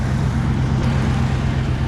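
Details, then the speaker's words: Old Ford truck, first start of the spring season, running rough with the exhaust apparently come apart: a loud, deep, unmuffled blatting rumble at idle; exhaust leak. "i got an exhaust leak as you can hear a little bit of a mess in there i don't know what that would be finding this the first start of the season you hear it sounds like a leak"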